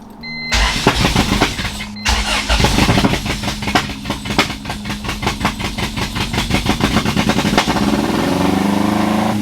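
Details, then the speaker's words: B20-swapped EK Honda Civic started after crimping the IACV wires and fitting new gaskets: catches, stumbles with uneven popping like a misfire, then revs out to a fast, climbing idle; owner suspects the throttle cable or excess air through the IACV. "or it's gonna rev really high. It's always something. So it started sounding like it was misfiring again, and then it just started revving out."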